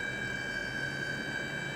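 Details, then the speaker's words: eBay DC PWM dimmer driving an inductive load rather than LED strips during a test: a constant, loud, piercing whine near 1.6 kHz with faint higher overtones that never changes pitch. PWM coil whine. "oh look at that listen oh that annoying pwm okay not cool at all it's not cool at all just listen to that how loud is it"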